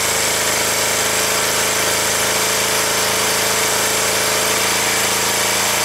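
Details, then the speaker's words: Kawasaki ER-5 twin after valve clearance check and head reassembly: lumpy, shaking uneven idle as if one cylinder keeps cutting out, cause unknown; owner plans to replace vacuum lines; rough idle with misfire. "Shaking like a shitting dog."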